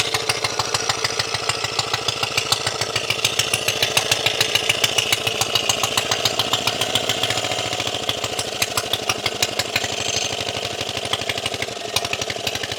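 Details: Briggs and Stratton Model FH single-cylinder engine after carburetor repair of a broken throttle shaft, on its wooden skid: quick, steady putter at about three and a half firings a second, even and sustained; running properly.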